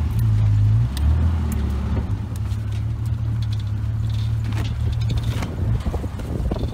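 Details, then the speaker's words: Old yard Jeep in four-wheel drive, test drive with tight turns after drive shaft u-joint replacement, about 42°F: low steady engine and road drone, no crunching or clunking from driveline; u-joints not perfect but holding. "I think we got it brought you joints aren't in perfect shape but they'll hold up for now"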